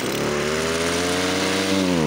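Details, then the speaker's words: Stihl FS55 trimmer, stock, idles well and starts easily but primer doesn't fill; under full throttle the two-stroke climbs slowly and unevenly, pitch wavering, hesitant revving from an air leak through the carburettor accelerator pump upsetting fuel metering. "Ну как бы да как бы разгара работает но это ребят Не норма Ну обычный пользователь так не сможет её грубо говоря разогнать"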